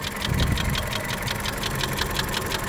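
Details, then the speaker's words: Volkswagen Golf 6 1.4 CGGA petrol engine at idle in snowy weather: runs evenly but sharp regular knock, appears near 2000 rpm then disappears, not heard on sharp throttle; source unclear. "думаешь, что это может у меня стучать? Работает ровно. Стучит как будто больше вот здесь где-то."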